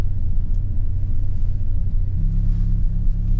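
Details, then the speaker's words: Turbo Honda tuned on Crome Gold, just after startup: low, uneven idle rumble shifting pitch partway; rough running, owner suspects very lean startup needing fuel correction work. "all right so it seems like the car is running a little funky on startup I'm gonna have to work on these fuel Corrections here"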